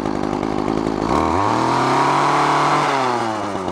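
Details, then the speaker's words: Craftsman straight-shaft two-stroke string trimmer, high-speed carburettor screw set slightly rich: revs up but breaks up and burbles, four-stroking at full throttle instead of screaming, deliberately for engine cooling; line too short, lowering load. "you want to back off of that so it's a little more on the rich side and a little bit of four stroking going on it's uh better for the the engine and uh the heat level that's in"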